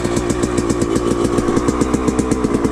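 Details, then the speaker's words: Suzuki RM125 two-stroke dirt bike after engine rebuild, being broken in: on start with no choke on it idles really high, a fast crisp ring-ding, then slowly comes down; high idle after cold start, cause not confirmed. "Alright, the choke isn't on, but for some reason every time I start it, it idles really high, then it eventually goes down."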